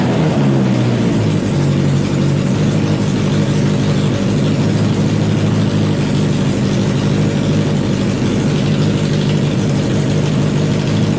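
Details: Wheel Horse pulling tractor after a fuel system upgrade with new welded aluminum tank and fuel lines, fuel pump primed, running indoors: loud, deep, steady engine running evenly with no knocks or misses at constant speed; normal running.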